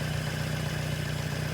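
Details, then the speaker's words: 1978 Datsun 1500 Ute GN620 with new carburettor, new oil, fixed coolant leak, running on 20-year-old fuel from own tank: steady even idle, smooth low hum, no knocks, misses or surging; normal idle. "how's she gonna run on the 20 year old fuel she's running folks listen to that oh wow okay she's running she's running without a temporary fuel tank"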